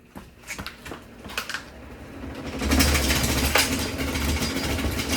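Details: 11-year-old box fan from 2015 with about three broken blades and a cracked back, switched on; light clicking, then a loud, choppy, uneven rattle over a low hum as the broken blades clatter while it spins.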